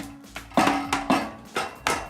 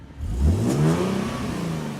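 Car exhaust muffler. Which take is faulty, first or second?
first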